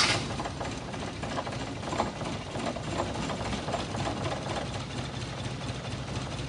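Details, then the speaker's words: Toyota Kijang engine running rough ("pincang"); spark plugs checked and found all normal: uneven, lumpy idle with irregular stumbling beats over the engine hum; misfire, cause unclear. "Itu larinya enggak enak kalau pincang."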